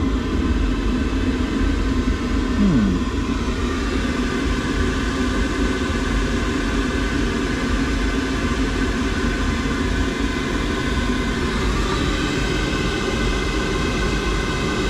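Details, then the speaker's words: Boiler with E125 poor-circulation and E131 faults: steady low rumbling roar with faint hiss while circulating on heating, seeming to come from the heat exchanger; circulation issue, suspected blockage, pump doubted. "Just doesn't sound too healthy, does it? Actually sounds like it's coming from the heat exchanger."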